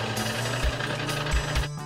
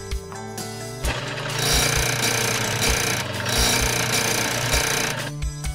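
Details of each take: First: Snowie 3000 ice shaver switched on after a blade change for the alignment test: steady low motor hum with no grinding, showing the blade and housing are properly aligned and not touching the paddle wheel. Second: Snowie 3000 ice shaver, powered up for an alignment test after a blade change: motor hum turns to harsh metallic grinding with uneven thumps. Misaligned blade or housing touching the paddle wheel; fix by centring the housing.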